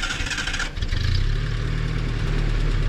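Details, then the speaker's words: Abandoned Datsun 620 pickup, started and put in first gear, still needing a fuel pump: catches after a brief crank and settles into an even, steady low idle with no knock, only a slight tick (valves suspected). "Dude, that thing sounds good. She sounds real good."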